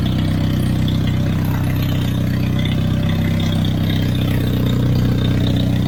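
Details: Turbocharged Hyundai Genesis first full start in a long time, idling during HKS Super Coolant fill and burp after coolant flush; loud, raw steady idle with heavy low drone and hiss, because no wastegate is fitted; new thermal coating burning off fumes.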